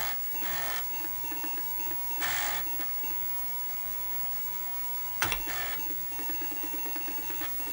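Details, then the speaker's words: Repaired Atari 1050 floppy disk drive, half-assembled, loading in Atari 800 compatibility mode: steady motor hum with quick head-stepping chatter bursts; reads normally, repair a success. "it seems to be loading so I guess we could say that the repair was a success"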